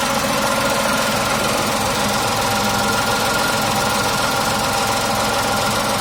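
Smooth, steady idle with an even hum and a faint high whine, no knocks or misses; a healthy petrol engine ticking over.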